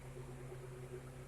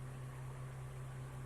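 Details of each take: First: Car AC with compressor relay pulled for testing: quiet steady blower hum only, no compressor click or load change, gauge needle not moving; air blows but not cold; AC compressor not engaging. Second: Car AC compressor running after the compressor relay was removed, checked and refitted, engine running with AC on; steady low hum near 100 Hz, no knocks or squeals, gauge reads 30 psi; normal AC compressor operation.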